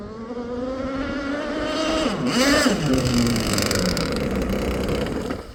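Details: Aeromarine Avenger 44 RC boat, Zenoah 29cc, Gizmo pipe, ABC prop, on the pipe at high rpm into a ~12 mph wind: engine dips and stutters midway over wind and water noise. Intermittent sputter, cause unclear.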